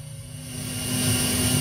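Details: Behringer PMX2000 powered mixer with echo on: steady hiss swells as the tone controls (equalizer) are pushed up, ordinary background noise at high gain; normal mixer hiss.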